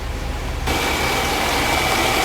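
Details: 1977 Mercedes 450 SLC V8, warming up toward 80 degrees before idle adjustment, single muffler two pipes in and out: steady, even idle with soft exhaust burble and faint hiss, no knocks or misses; normal warm idle.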